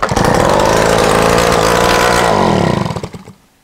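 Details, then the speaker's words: 1986 Honda Spree two-stroke scooter, sat outside 25 years, revival attempt, header pipe removed: harsh crackling bark at a quick steady beat for about three seconds, then dies; loud exhaust from open port. "put the plug back in it and see if we can at least hear it pop even though the header's not on it"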